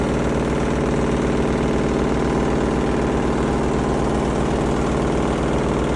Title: Front load washing machine Sound Problem